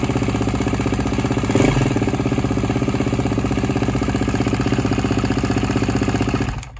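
Single fires into a steady lumpy idle with a light, regular ticking clatter over the beat; noisy cold running, cause unknown.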